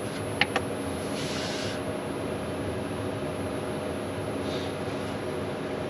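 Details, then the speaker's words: Cheap Chinese diesel heater run from 240V via a 12V 30A transformer; soft steady fan rush with low rumble building and clicks as it lights, glow plug drawing power: normal start-up. "I can hear the diesel feet are flaming up yeah this is quite normal they normally Peak about 130 Watts"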